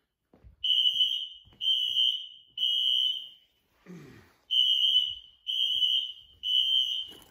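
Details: Apartment building fire alarm: high piercing beeps about a second long in steady bursts with short gaps, sounding for about 5 minutes; set off by an issue with a pull station on the first floor.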